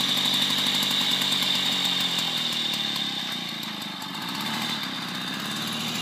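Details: 1972 Motobécane 40V moped, barn-find, first start after thorough cleaning and engine overhaul: buzzy two-stroke running with a high whine and a rapid, fairly even beat; the engine runs fine after service.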